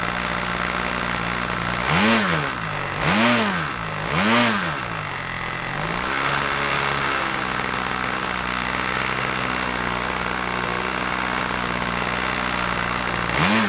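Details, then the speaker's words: OS LA40 nitro glow engine on a Balsa Max Thrust trainer, eBay unit stored months, first-turn start, leaned from rich: steady high-pitched buzz with three quick throttle blips rising and falling cleanly, instant response; normal running. "Wow first time fired up can you believe that I mean wow I mean she's been sitting in the hanger for a few months now and everything else one turn and she fired up I am so impressed with that little engine"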